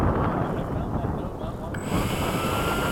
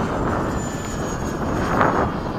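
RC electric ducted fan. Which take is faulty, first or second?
second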